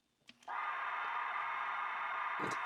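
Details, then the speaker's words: Retro cassette player that seemed dead only because its pause button was on; after the pause was switched off: a click, then a smooth, even hum without wobble or dragging. Belts are fine and the transport is healthy. "so there is nothing wrong with this cassette player at all"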